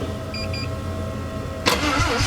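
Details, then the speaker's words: Turbo 13B rotary drag car (9.2 s at 146 mph), being started to prep for track use, which previously broke a starter motor. A short, sluggish crank that stalls without catching sounds dead: weak cranking, cause unconfirmed. "Oh. Maybe it's not going to go anywhere. That sounded a bit dead."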